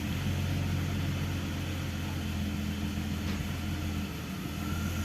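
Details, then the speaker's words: BMW E46 325i Touring, 2.5 six-cylinder, earlier misfiring on cylinders 4–6; plugs checked, exhaust cam sensor code 12 stored. Cranked with the accelerator left at idle, it runs rough with uneven beats and RPM sags; misfiring, cause unclear, cam sensor suspected. "All right. I think there was a misfiring there. Okay. Drops a bit... Another misfiring."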